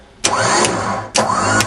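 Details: Warn M8000 12 V winch (MRV B7 motor) after its faulty solenoids were replaced with an Albright solenoid: two short, clean motor runs whirring up in pitch and cutting off on remote command; normal winch operation.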